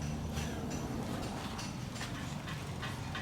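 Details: Peugeot 307 idling after an exhaust repair with a welded-in replacement part: an even, low burble with soft ticking on top and no blowing or rasp from the exhaust; a normal, steady idle.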